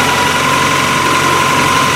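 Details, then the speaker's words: Worn, high-mileage 2000 Toyota Camry 4-cylinder just after exhaust repair, no check-engine light, intake hose cracked and taped. Cold start: steady idle with a thin whistle on top, exhaust now quiet. Normal cold idle. "Starts right up. It runs. Nowhere near as loud as it was. We're just hearing all sorts of weird sounds from everything being worn out."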